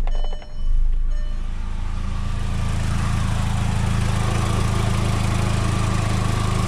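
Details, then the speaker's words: 2004 VW Golf with AC on, new cooling fan fitted: one radiator fan on high, the other on low; steady low whooshing hum settling to an even drone, no rattles or scraping, normal operation. "fan is on high and that fan is on low"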